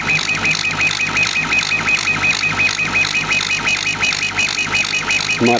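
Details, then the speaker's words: Homemade CO2 laser cutter engraving material in a windy garage: squeaky, chirping high-pitched beeping pulsing about three times a second over wind hiss; normal laser PWM power modulation. "the um squeaking beeping noise that's actually the pulse with modulation of the laser you can actually hear it when it's Plastering the around material it's really quite cool"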